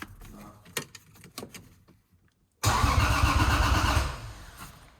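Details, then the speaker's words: 1JZ-swapped Lexus IS300: a few clicks, then normal, even, strong cranking. It wouldn't crank earlier, which was thought to be a ground issue. "yeah it do be cranking that's crazy"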